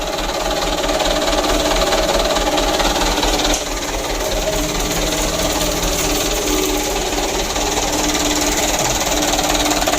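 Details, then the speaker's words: Mitsubishi Canter 125 PS Super Speed diesel, previously hard starting and stalling, after new injection pump, governor spring nut loosened and throttle stop bolt adjusted: starts easily without throttle, steady even idle, no misses or hunting; normal idle. "Untuk hidupnya sudah mudah lor, tanpa digas ya. Alhamdulillah."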